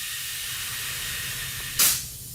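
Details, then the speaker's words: 1941 Crosley microcar, tire being inflated: continuous airy hiss, then a sharp louder blast of escaping air; the tire leaks badly as it is pumped. "It's leaking. Yeah. Like crazy."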